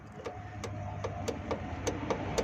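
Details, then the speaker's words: Suzuki Ravi CNG-to-petrol conversion, petrol switched on: petrol solenoid valve now gets current and ticks lightly about three to four times a second over a quiet hum; no current would mean a faulty switch; normal solenoid clicking. "ये देखें ये अभी हमारा petrol on हो गया है। ये इसकी कुप्पी जो पेट्रोल वाली है, पेट्रोल वाला वाल है, तो इसमें करंट आना शुरू हो गया है।"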